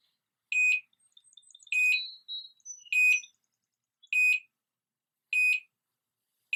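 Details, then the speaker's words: GM-434RTL wireless garage door monitor, with a rod-type tilt sensor on the door corner: once the door rises far enough for the rod to drop out, the receiver sounds high shrill beeps about every 1.25 seconds with faint chirps between. This is the zone one door-open alert. "once the door raises high enough and that Rod slips down and drops out then that's going to set the alert off that's going to set it off"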